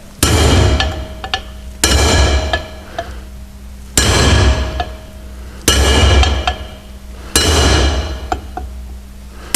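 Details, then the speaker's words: Drifting wheel studs into the original hub when fitting a new brake drum (Volvo Amazon/PV544/P1800): sharp ringing hammer blows about every two seconds; a high bright note means the stud is not yet home, a deeper solid note means seated. "now you can hear that still quite a sharp high-pitched note each time I hit there that has just gone home that one hasn't that one has there that's the last one"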